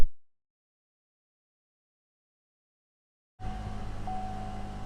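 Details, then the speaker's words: Buick Enclave after both exhaust pipes and converter replaced, aligned and codes cleared: after a quiet gap the engine settles to a smooth steady idle with no ticking, puffing or rattle; exhaust sounds normal and tight. "hear that sounds just the way that it's supposed to another happy customer about to leave with their vehicle"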